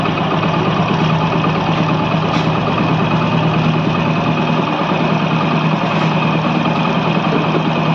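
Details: Hero HF Deluxe single-cylinder, idling after repair of a white-smoke problem (piston, rings, valves) with cam timing reset: an even, steady, smooth low beat with no knocking or ticking; the engine sounds healthy.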